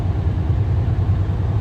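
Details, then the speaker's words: 2023 Kenworth W900, X15 Cummins 605 HP, 18-speed, 40,000 miles, 1,200 hours: deep steady diesel rumble with an even pulse, no knocking or rattles, revving up as it should through the RPMs. Healthy engine. "Everything's revving up the way it should. Sounds good through the RPMs."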